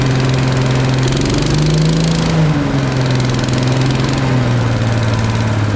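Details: Briggs & Stratton single on Agri Fab Mow & Vac leaf vacuum after valve adjustment to about 25 psi compression and carb/fuel work: steady even fast idle, slight pitch drift, no misses or knocks, healthy.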